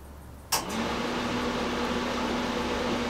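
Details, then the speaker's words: 2017 R-Pod 179 travel trailer propane furnace turned up, fan running on 12V battery: a click, then fan spins up and settles into a steady even hum; normal blower operation. "and so you can hear the fan coming on for the for the furnace so that's a good sign that all those things that are working properly on 12 volt battery are working"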